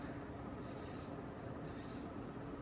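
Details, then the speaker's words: 1992 Sears Roebuck 42-inch Hugger ceiling fan, model 689 11438, on high speed drawing 0.41 amps; steady whir with dry grainy rubbing underneath, a whirling noise the owner can live with; worn motor bearings suspected. "It's making a whirling noise, which I can live with."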